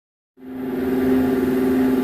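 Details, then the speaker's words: Woodgun fan with newly installed motor, quieter than the old one with failing bearings, spins to a steady hum with a slow rhythmic wah-wah pulsing; cause unclear. "this one is making some sort of rhythmic harmonic sound if you can hear it but it's like wall wall wall I'm not sure why it's doing that or what can be done to eliminate that sou"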